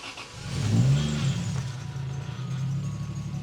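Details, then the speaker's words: Toyota Supra Turbo after the turbo was re-attached, started with a booster. It catches quickly, flares, then settles into a steady low idle with no smoke and with oil pressure. Normal start-up. "That was nice. That was really nice, actually. And it's not even smoking."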